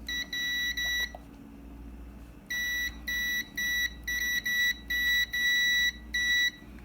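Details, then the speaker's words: Karcher WD 1 vacuum that will not turn on, continuity tester on a freshly soldered terminal: a high steady beep cuts in and out in uneven bursts, so the joint still makes only intermittent contact and needs redoing. "si se dan cuenta lo estoy pegando y por momentos hace contacto y por momentos no eso quiere decir que aún tiene un fallo"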